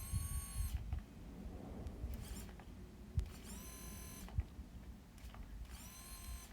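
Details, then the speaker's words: New Ford Ranger in-tank fuel pump bench-tested on a 9 V battery: short bursts of high steady electric whine rising in pitch as it spins up; healthy, how it should sound (old pump failed after four months). "Okay. I hope you can hear that. That's the new one. That's how it's supposed to sound."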